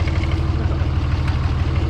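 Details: 24-valve Cummins diesel after valve lash adjustment, warming up: steady, even idle with a regular low thrum and no intake sucking sound heard the day before; sounds healthy.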